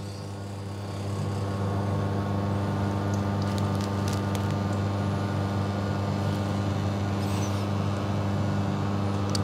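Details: Serviced custom La Marzocco Linea Mini (new safety valve, anti-suction valve, steam valve rebuild) pulling its first test shot, checking for leaks under pressure: steady even pump hum, no rattle or surging; pump running normally.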